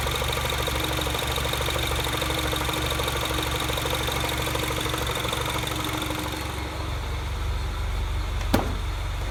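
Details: Mini Cooper S R56 at idle after timing chain tensioner updated with new part: steady idle with faint light ticking over engine hum, no chain rattle; owner unsure if normal, unexplained top-end noise.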